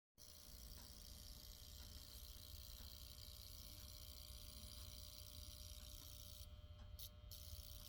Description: I'm pretty sure the humming is from the transformer which may be delaminated thus causing a louder hum than normal.